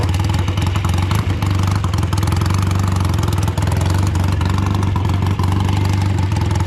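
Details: Old BSA twin-cylinder chopper on short road ride in rain after fuel tank cleaning and fixes: low twin beat stumbling as revs rise, one cylinder not pulling, misfire under load; still running poorly, owner suspects carburetors or ignition.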